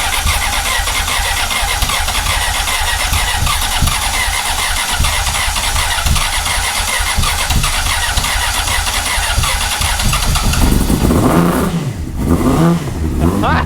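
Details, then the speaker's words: 2004 Honda CBR600RR after a new throttle cable and levers, primed with throttle. The starter churns about ten seconds before the engine catches and revs unevenly: long cranking, hard start, cause not established. "Ooh, hold on. Did you hear it? Yeah, I smell it. Give it a little gas. It's trying."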